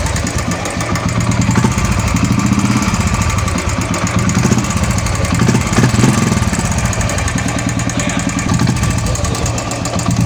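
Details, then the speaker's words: Royal Enfield Classic 350 UCE single-cylinder idling with fast, light top-end ticking; noisy hydraulic tappet caused by a weak oil pump, with the oil pump and hydraulic tappet to be replaced. "ये गाड़ी का hydraulic tappet आवाज़ कर रहा है।"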